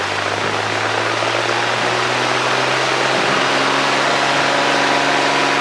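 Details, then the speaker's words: 1964 Cessna 210D with IO-520 engine, long stored, takeoff roll on runway 14, full rich mixture, full power set: steady loud roar with a constant deep drone and no surging or misses; engine pulling cleanly at full power. "Full power is set. Yes. Everything is correct. Air speed's coming alive."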